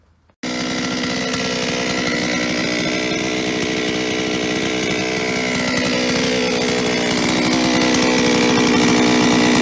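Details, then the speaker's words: Solo 644 chainsaw, many operating hours, before repair: busy metallic rattle over the engine note, especially at idle, from worn piston with 12/100 mm bore clearance; piston slap. "es geht um den Kolben das Ding klappert ich mache es jetzt mal an dann könnt ihr euch das anhören"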